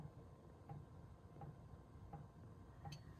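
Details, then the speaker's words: Van diesel heater just started in cold storm conditions, battery fully charged: soft, even ticks about 83 a minute over a low rumble as the fuel pump meters normally, barely clicking away. "The diesel heater is just barely clicking away."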